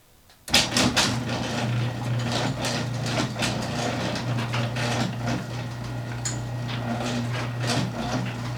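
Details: Garage door opening and closing two years after installing a green hinge spring system and nylon rollers: steady motor drone with only a few light clicks as the door travels; smooth, quiet run with nothing out of place.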